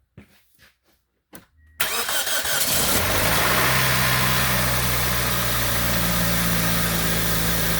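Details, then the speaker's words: 2004 Pontiac Vibe 1ZZ-FE, first cold start after a cylinder head repair for a burnt exhaust valve and an intake cam gear pen spring mod. A few clicks, then a steady, even idle with no cam gear rattle; normal. "First start, since the head's been back on and since the cam gear has been modified with a pen spring."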